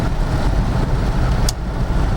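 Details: 1949 Frazer on the road after two bearings and a seal were replaced: even, low road rumble at steady cruise with no thumping, whine or shudder, overdrive vibration fixed; the driveline runs smooth.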